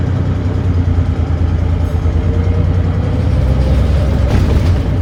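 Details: Volvo B9TL Wright Eclipse Gemini bus, Volvo D9B 9.3L Euro 4 diesel with ZF Ecolife 6-speed, on board: loud low drone with a rough chuffing thrash; exhaust leak suspected, not confirmed.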